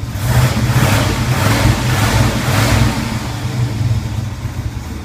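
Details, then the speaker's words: 1981 Turbo Trans Am on a cold start with rough idle, air management valve unplugged, revved: a rough-edged engine note with no belt-type squeal. The squeal noise remains when the valve is plugged back in. "It's not making that squealing noise like a bad belt."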